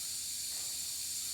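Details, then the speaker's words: Wanderlodge bus with Detroit Diesel 6V92TA: constant high, sharp hiss of compressed air escaping from leaky air valves/lines, heard during idle setting, leaks described as terrible; PP1 valve replacement planned. Finding: air system leak. "the air Leakes in here as you can he are terrible"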